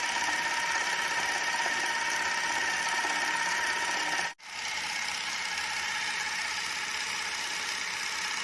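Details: Super 8 camera with a test cartridge loaded, powered on: a steady even whir with a thin high buzz and one brief cut partway through as the motor runs smoothly and the film moves normally.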